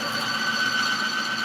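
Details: Bearing load test rig with engine oil plus BG engine performance concentrate (motorcycle size) in the crankcase: steady high-pitched squeal of the test bearing at constant pitch, holding 25 then 50 ft-lb without lockup, where plain Honda oil locked at 25.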